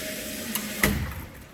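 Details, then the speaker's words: Water line with a soft-seated check valve installed: steady hum, a click, then a sharp thump as the valve closes. Water hammer and pressure fluctuation persist, with the relief valve still spitting. "this is pretty dramatic for the pressure fluctuation so when we run this we're still gonna get that spitting out of the relief valve yep"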